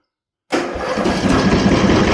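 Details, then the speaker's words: $300 used Craftsman LT1000 riding mower, jump-started with blades disengaged while checking for startup smoke: silence, quick crank, then it catches into a rough, uneven idle; known to start hard on the first key cycle, cause unknown. "If you've watched previous videos, you know she has a little bit of trouble starting on the first key cycle."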